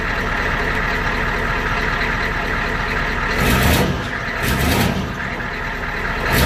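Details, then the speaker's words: 1993 IDI diesel truck, stock unadjusted injection pump: steady idle clatter with a couple of brief throttle blips, no misfire or knock; normal stock idle before the fuel mod. "Alright, so that was stock right there. Nothing has been done to the pump."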